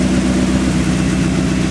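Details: 2nd-gen Mitsubishi Eclipse, crashed around Christmas, just restarted after repairs with an exhaust leak and white smoke: steady low rumbling idle, even and unbroken, no knocks or stumbles. The engine is idling fine.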